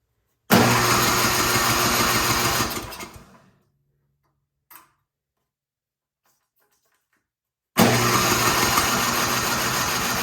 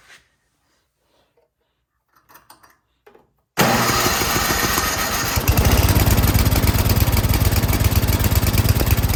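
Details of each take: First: 24-inch MTD Yard Machines snowblower, carburetor found not bolted on, refitted with two bolts and a new intake gasket, full choke, throttle on: two bursts of electric-start cranking about three turns a second, no firing; fuel delivery fault. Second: 24-inch MTD Yard Machines snowblower that would not start, carburetor found not bolted on, after high-end carburetor adjustment: engine catches at once and settles into a fast, steady small-engine beat with no misses; runs properly now.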